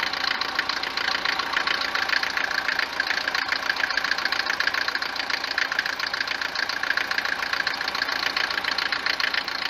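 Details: Mercedes 190 W124 diesel, recently on 10W40 oil, no oil consumption; steady hard clatter at cold idle, three or four knocks a second, louder than normal for Mercedes diesels, easing when warm; cause unconfirmed, injectors or pump timing suspected.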